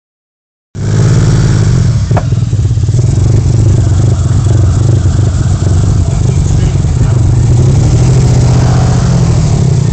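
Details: Vauxhall Vectra V6 at idle: uneven, lumpy low beat with irregular stumbles about four a second, a misfire; engine likely coming out for full rebuild, owner suspects a fuelling cylinder with no air intake.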